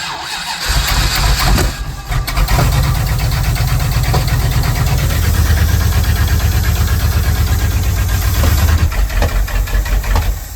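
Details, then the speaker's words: 1977 Dodge tow van, first start on a newly primed fuel system: fast idle with an uneven, lumpy beat that stumbles. Owner suspects he messed up the firing order. "that firing order. I don't know how the I don't know how I messed it up, but it's got to be messed up cuz that ain't that ain't right."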